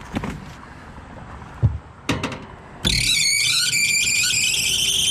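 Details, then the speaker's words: Trane rooftop unit blower kicking on after 24 V restored (transformer's 3 amp fuse had tripped): a few knocks, then loud steady high squeal from a worn, slipping blower belt that needs replacing. "you're gonna need a belt that's for sure"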